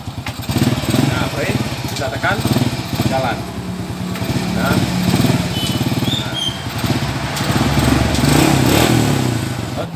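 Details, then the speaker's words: Supra 100cc motorcycle after clutch repair, exhaust refitted and oil added: small single revs up and drops back cleanly with even firing, no stumble; clutch no longer slips, runs normally. "sepertinya bagus tidak ada masalah kopling"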